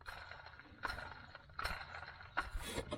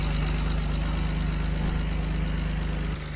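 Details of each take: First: BMW 335i during drive belt and pulley replacement: a hand-spun idler pulley gives gritty, rattling scrapes about once a second, and the pulley also wobbles. It shows a worn bearing with scratches, so it gets replaced. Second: BMW 335i at idle after drive belt and pulley replacement: steady low engine rumble with an even beat around three to four per second and no belt squeal or chirp, a smooth healthy idle.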